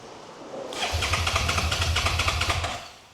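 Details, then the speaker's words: 2011 Suzuki SFV650 Gladius on a jump pack with a drained battery: starter turns the engine over in quick, even pulses for about two seconds without catching; cranks but won't start, with a tip sensor possibly suspected. "And now it stopped making the sound but plugged in. No start. Unplugged. No noise."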